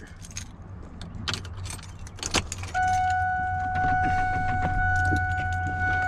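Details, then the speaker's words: 1999 Ford F250, 5-speed manual, start attempt with clutch pressed: keys jingle and a steady dash chime but no starter click or cranking; faulty clutch switch causing no crank, no start. "the clutch nothing so first thing you have to check this your clutch switch"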